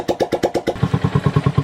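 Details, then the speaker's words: Yamaha SZR after replacing connecting rod bearing and two crank side bearings, stock piston refitted: steady even pulses around eight per second, no knock or rattle; quiet clean idle, noise cured. "So tahimik talaga yung makina, oh. So stock lang talaga yon."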